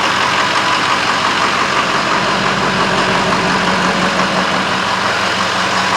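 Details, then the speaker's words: 2007 Ford 6.0 diesel that idled rough, after two cans of Seafoam in half a tank of fuel plus some in the fuel filter and a quarter tank run through: steady, even idle with no stumble or miss; normal idle. "This sounds really good. This does not have any kind of rough idle to it. So it looks like that Seafoam might have worked."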